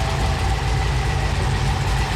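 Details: 1955 Chevy Apache stroker V8, checked for all cylinders firing, temperatures and oil pressure before its first road drive in 38 years: a deep, even burble at steady idle with no misses or knocks; normal idle.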